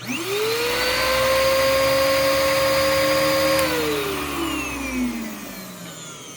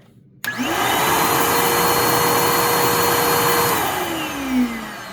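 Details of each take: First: Bissell PowerClean OnePass (35831) vacuum motor with a clogged bin fitted: it winds up to a strained, muffled whine, choked for air rather than off balance. With the bin removed it sounds fine. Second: Bissell PowerClean OnePass 35831 vacuum; the motor sounded choked until the bin was removed, then spins up quickly to a clean, steady high whine and holds it without wobble, then winds down smoothly; the motor is healthy.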